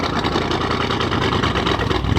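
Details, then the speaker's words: 2013 Audi S7, 42,000 miles, salvage-auction car, at idle after starting: loud, raspy, deep uneven burble with no muffling because the exhaust is essentially straight pipe; its turbo has gone bad and smokes. "The exhaust is pretty much straight exhaust at this point. Very, very, very loud."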